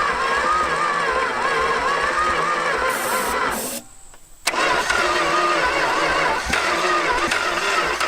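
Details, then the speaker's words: Long-dead vehicle being revived, cranked with carb cleaner in the intake: it catches briefly, sputters unevenly and cuts out, then fires again without settling, seeming to need more fuel or choke. Cranking but not starting. "oh it sounds like an engine now at least oh dude dude here it goes yeah it's going to do it"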